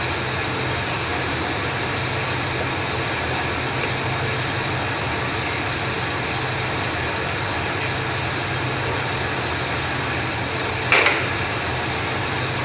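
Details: 1980s Ford motorhome engine idling steadily with an unchanging hum, no knocks or misses, just after installing a Standard Motor Products FV5K fuel tank switching valve and switching over to the other tank; normal idle.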